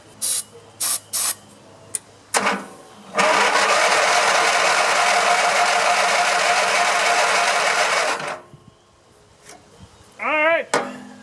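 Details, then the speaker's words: Grasshopper zero-turn mower with a 16 hp Vanguard V-twin, long unused, seat switch disconnected, starter jumped with cables: cranks steadily for about five seconds while fueled but never fires; no spark found. "I'm giving it fuel. I'm going to check for spark. We got no spark."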